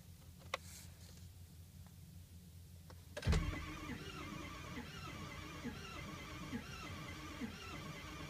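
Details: 2005 Ford F-350 6.0 diesel, sat six months, water pumped out after suspected EGR cooler leak, block heater and glow plugs warmed, many new parts: slow steady cranking, never fires; ICP builds to about 1400–1600 psi, IPR about 50%, cause unknown.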